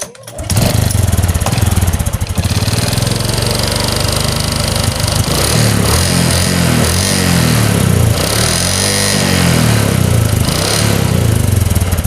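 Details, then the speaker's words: Honda Supra X 125 single-cylinder: idle won't settle, engine speed surging and sagging in slow waves; idle problem located in the carburetor, with worn piston rings also letting oil into the combustion chamber. "Guys di sini terdapat permasalahan yang mana ransamnya susah kita spel dulu ini permasalahan untuk langsam ada di karburator"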